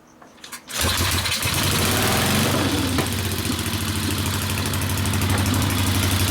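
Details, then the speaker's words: 1964 Harley XL 900 Ironhead Sportster, kick-started, custom distributor suspected: uneven, lumpy beat with hollow drum popping instead of even twin rhythm; one exhaust pipe stays cool, running on one cylinder only, misfire. "i can hear [ __ ] not running on one cellar you could get up the bl noise that means it's not running for crap"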